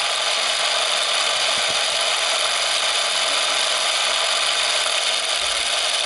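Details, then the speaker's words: Sears Easi-Load Super 8mm film camera, zoom motor reaching maximum zoom and then zooming back out: a steady, even high whir with no catches or grinding. Normal zoom motor run. "Ahí estamos haciendo zoom con la filmadora. Ese es el máximo zoom. Ahora vamos a alejar."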